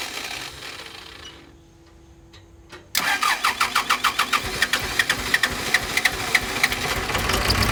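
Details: Pettibone Model B-66 diesel lift, submerged under about 8 feet of water in Hurricane Ida. It cranks in even pulses, about three a second, without settling: hard starting, rough idle, no hydraulic oil.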